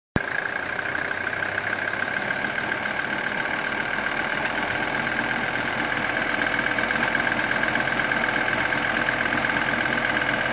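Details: 1980 Mercedes 300CD diesel idling with a steady clatter and a faint knock about three per second, more audible with AC on; mechanic's stethoscope could not locate the source.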